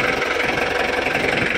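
Even diesel clatter at a steady idle with a regular pulse and no misses or odd knocks, so it is a normal cold idle.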